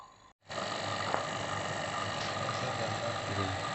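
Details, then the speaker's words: Vacuum pump evacuating a refrigerator system after corroded copper pipe repair, both valves fully open, gauge needle falling toward minus: loud steady rough hum, still labouring as it draws air out. "Dan ini jarumnya turun terus ya di angka min, dan suara dari mesin vakum masih keras ya, yang menunjukkan udara itu masih disedot oleh mesin vakum ini."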